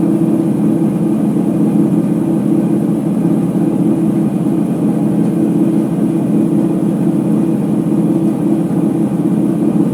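A steady, heavy rumbling roar holds through the high-speed spin with no letup, the drone of worn drum bearings.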